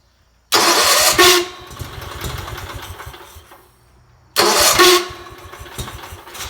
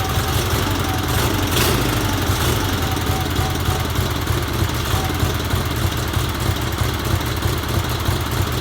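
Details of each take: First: 1977 Sears 16/6 tractor with an Onan engine, after carb rehab, new plug wires, new starter solenoid and swapped points: two harsh, ragged cranking bursts, each fading into an uneven run. The starter sounds rough and labored, but the engine catches. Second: 1977 Sears 16/6 tractor, twin-cylinder Onan engine, after carb rehab, new plug wires, starter solenoid, old original GT18 points and coil; old gas unchanged. Even, steady putter with no misses, knocks or hunting; runs healthy, normal running.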